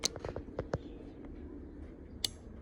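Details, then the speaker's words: Relay from a Nissan Sentra B13 with an SR20DET manual swap that sat for years, bench-tested with a battery charger and jumper: sharp dry clicks as the gray relay snaps on and off. Suspected culprit, not confirmed. "all right so I think we found the culprit so we have the click it's the gray one so it clicks"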